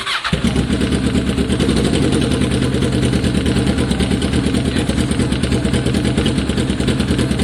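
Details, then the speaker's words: Kawasaki ER6 cafe-racer project, abandoned for years, started after ignition work with no silencer fitted: a short crank, then an instant catch into a loud, even, open-pipe idle with a steady beat. Sounds loud but healthy. "I better turn it so we're not on the battery at the moment, but that sounded great to me. That sounded healthy, eh? It was loud, but it sounded healthy."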